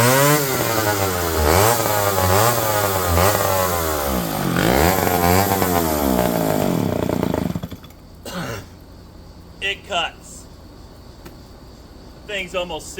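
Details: McCulloch 510E electric-start 70cc chainsaw, revived from locked-up: high two-stroke scream sags and recovers as the chain loads in the cut, then drops to idle; running strong under load.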